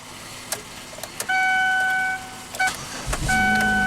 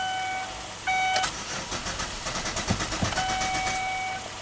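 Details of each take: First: 2008 Chevy Equinox after restoring communication (EBCM unplugged and bypassed) and replacing missing 15 A fuel pump fuse: chimes, short crank, catches and settles into steady even idle with no stumble; normal start. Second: 2008 Chevy Equinox, intermittent no-crank/ECM communication loss: about three seconds of even starter cranking between warning chimes, never catches; fuel pump commanded on but not heard, no fuel pressure, fuel pump fuse missing.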